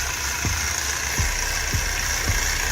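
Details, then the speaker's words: Dodge Durango 5.7 Hemi at idle; it has a loud ticking complaint and dumps raw fuel into the cat. A dull thump comes about every 0.6 s. It is judged not really alternator noise, and the plan is to pull the belt and spin the pulleys. Suspected accessory drive noise, unconfirmed. "Not really alternator noise, but we'll have to pull that belt off. Spin those pulley."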